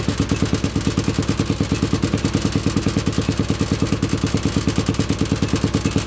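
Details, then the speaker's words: 800cc lawn pulling tractor engine, first test run in neutral with clutch pushed in, air box and half carb covers fitted; deep, even thumping about three beats a second, steady rhythm throughout; normal running. "so just real quick it sounds much better with the air boxes on or air box and half a half of carb covers just really listen to that rumble"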